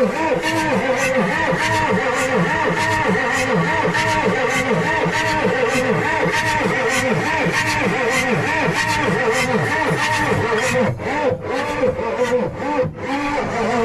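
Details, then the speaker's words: Ford 6.9 IDI diesel revival: loud, labored cranking with a chuffing beat about twice a second pushing back through the intake; owner suspects several intake valves hanging up, not confirmed. "It sounds like there's a few intake valves hanging up. It's what it sounds like. Because you can hear it coming back to the intake, like all of it."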